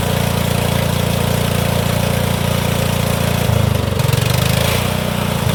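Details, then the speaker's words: Cub Cadet HDS riding mower with a suspected blown head gasket and squirrel-damaged coil wire, started on starting fluid with no battery: the single-cylinder engine holds a steady, even chug with no knocks. It runs and drives. "Oh, she does drive. I didn't have the little pin pulled in the back to let it drive."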